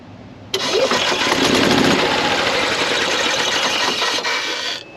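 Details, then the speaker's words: 2016 Yamaha petrol golf cart that starts slowly or sometimes not at all: starter drags round slowly at about three and a half turns a second without catching; battery voltage dips to about 8 V under cranking load; weak battery. "hit it underload and and it dips down into the 10 sometimes nine and"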